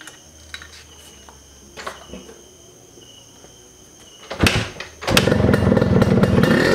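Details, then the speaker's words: Rebuilt Yamaha RXZ two-stroke motorcycle started for the first time on borrowed fuel: it catches after about five seconds and settles into a steady, even crackle, with the carburetor well tuned and the exhaust still quiet; normal running. "so other than that the bike actually runs pretty well"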